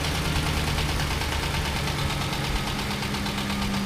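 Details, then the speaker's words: 2008–2011 Ford Expedition 5.4 3-valve at about 190,000 miles, at idle: a dull, regular tapping knock under the engine drone. Suspected rod knock, not yet confirmed. "definitely sounds like rodnock so i'm gonna check a few things and see how this is going and then start tearing this baby down"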